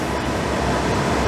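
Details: Suburban furnace in a motorhome, running after being cleaned because it would not ignite: steady, even burner and blower roar with no surging, popping or rattles while it burns out bugs and nests; lit and burning normally.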